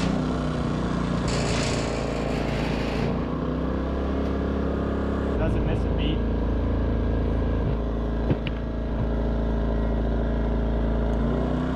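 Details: Westinghouse iGen 2500 inverter generator, which previously would not start and then surged at idle, after it was cleaned and fixed. Steady low drone with even firing and no misses or surging; now holds a clean idle.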